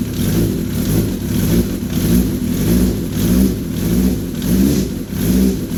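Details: First fire-up of a freshly assembled 985 engine after dry run with dummy plugs and oil pressure built up, on choke; fires and is blipped repeatedly, revs rising and falling about every half second, pulling cleanly; healthy new build.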